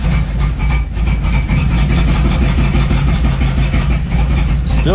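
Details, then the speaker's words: Third-gen Camaro V8 after new mass air flow sensor fitted: low, uneven, lumpy idle that never settles; runs rough, owner suspects vacuum leaks, one bad, setting code 33 for the MAF; cause unconfirmed. "i think this car just may have a bunch of vacuum leaks one really bad one i don't really know but that alone will make the 33 code pop up for the mass airflow sensor"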